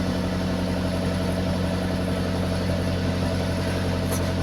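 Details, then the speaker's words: 2001 Maruti Suzuki Zen petrol, just started after sitting 3 months: even steady low idle with no knocks, misses or hunting; normal idle. "So మన car sound చూడండి ఎట్లా వస్తుందో మొత్తం మన పాత car start అయినాక sound ఎట్లా వస్తది ఎగ్జాస్ట్ మోడ్ ఇట్లా వస్తుంది అని"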